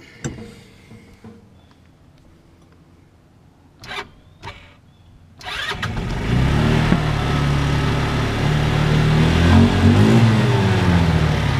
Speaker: I've been having to give this thing gas so still running great though